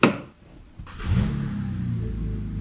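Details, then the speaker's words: 2008 BMW 328xi six-cylinder, just started after repairs including a crankcase ventilation (CCV) fix and cooling-system smoke test: thump then steady, even idle with no ticking or stumble; running smooth, belt looks good. "she's running really smooth belt looks good"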